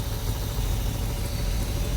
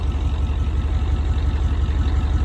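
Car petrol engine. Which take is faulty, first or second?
first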